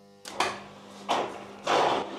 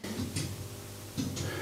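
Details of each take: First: Schaublin EP-34 lathe Mahou gearbox after it apparently got stuck between gears: three quick clunks as the gears shift on a speed command, then the spindle winds up into a smooth, rising whir. It now shifts normally. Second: Schaublin lathe with Mahou gearbox, after e-stop: sharp paired clicks about once a second in a quiet shop; gearbox shift relays cycling but gear not changing, suspected stuck between gears.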